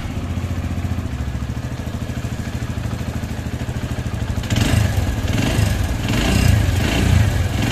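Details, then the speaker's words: TVS Radeon BS6 at 2510 km: single-cylinder engine idles, then a harsh intermittent metallic clatter from the cylinder head, sometimes under throttle; magnet checks didn't cure it; head opened, slipped camshaft bearing found. "यह आवाज है इसके अंदर दोस्तों ये इस तरह की आवाज कभी गाड़ी ी करने पर आती है कभी नॉर्मली ऐसे आ जाती है"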